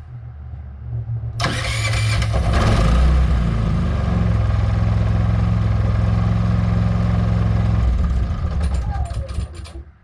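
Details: Predator 3500 generator fitted with a plug-and-play remote start/stop kit that pulls the choke, run after install: engine catches at once and settles into an even, steady low hum before shutting down; normal start and idle.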